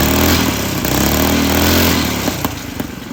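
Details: Coleman CC100X mini bike, brand new 212cc Hemi engine with governor and oil sensor removed, torque converter installed: loud crisp single-cylinder bark revving up, then settling toward a choppy idle, no knocks or rattles. Normal running.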